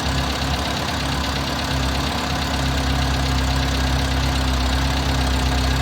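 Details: Carbureted six-wheeled Toyota after replacing a backwards-installed fuel filter and new spark plugs: steady low idle with an uneven loping beat about three times a second, still odd; rough idle, cause unknown.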